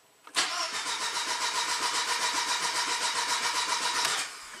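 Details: 2003 VW Passat 1.8 turbo, manual, about 150k miles, long sitting, P0341 camshaft position code, battery at 13.1 V: the starter cranks steadily about four turns a second for roughly four seconds but never fires; usually needs 5–10 attempts to start.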